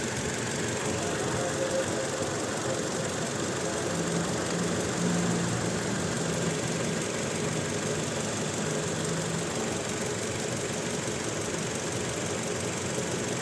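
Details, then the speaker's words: Toyota Innova petrol engine at uneven, stumbling idle: it misfires when revved, with no check-engine light or DTC. Waveforms show spikes on cylinder two's ignition coil; a coil swap between cylinders is next, to rule out the spark plug. "Hello friends यह Innova petrol यह इसमें problem य आ रही है कि इसमें miss firing हो रही है यह पूरी मैं रेस कर मिस फायरिंग हो रही है और चेक इंजन में नहीं आ रही है"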